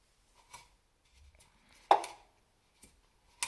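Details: Elite Suito-T indoor bike trainer bought new October 2021, noise began November 2022; sharp, isolated knock about once per flywheel revolution, only when spinning forwards, over an otherwise quiet spin.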